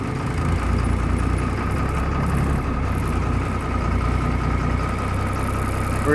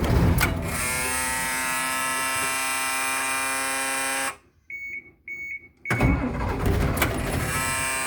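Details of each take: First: Bus started after two and a half to three weeks unused, left running to warm up: steady even idle with smooth low beat and no misfires; normal idle. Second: Bus cold-started after two and a half to three weeks unused in about 10-degree cold, wait-to-start light observed: two long cranking bursts with even starter churning, never catches; crank no start.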